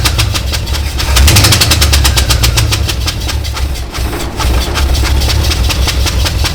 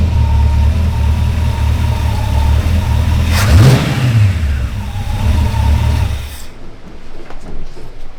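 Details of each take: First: Canadian GMC 9434 1-ton truck V8 at first start, one spark plug left out; lumpy uneven idle with a rattly skip each cycle, running on seven cylinders. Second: Restored GMC 9434 1-ton V8 truck after correcting a spark plug mistake (it had run on seven cylinders): deep even rumble, sharp rev blip, then pull away on its first drive; all cylinders firing, normal running.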